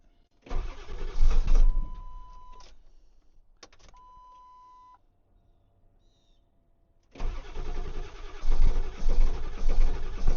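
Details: Ford 7.3 diesel truck in cold weather, glow plugs cycled repeatedly: two long uneven cranking spells with a pause, never firing; owner notes no-start began after anti-gel fuel additive use, cause unconfirmed.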